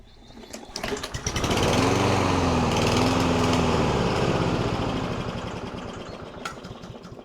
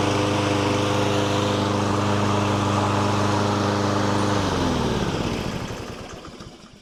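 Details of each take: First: Surging lawn mower before STABIL fuel additive treatment; it revs up, then the pitch rises and falls repeatedly before dying away, a hunting, surging idle from a dirty carburetor, eventually refusing to stay running. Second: Lawn mower that had been surging, hunting and stalling: steady, even engine note holding speed without hunting or surging, then a clean wind-down at shutoff; runs smoothly.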